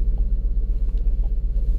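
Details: 2007 Lincoln MKZ 3.5L, customer complaint of misfire, engine dies when put in gear: low idle rumble pulses unevenly several times a second with occasional dips; a rough stumbling idle from a misfire, possibly cylinder 2.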